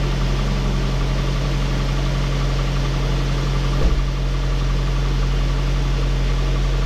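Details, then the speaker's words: Saab 9-5 Aero after two years sitting, first start after sump work and new seals, fresh oil: steady, even low idle hum with no knocking or misses; healthy idle, smoking expected. "Sounds really good."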